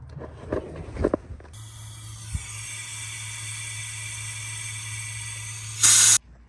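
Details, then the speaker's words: Ford 6.0 diesel with hot crank no start, high-pressure oil system air-tested via IPR: steady hiss of escaping air heard out the dipstick, passenger side; leak traced to blown O-ring on dummy plug/standpipe. "when you turn on the valve and the air comes out, see, you can still hear it hissing, but you'll just hear it hissing, and then you can see the little vapor coming out."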